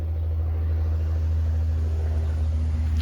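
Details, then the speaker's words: 240VAC central AC condenser running on Powerjack 12000 AMG inverter in 120/240 split-phase mode, about 37–40 A DC at 48 V: steady low even hum, no alarm or stutter, started cleanly and blowing warm; normal running. "Everything looks good here. Let's go take a look and see it's actually running. It's actually running."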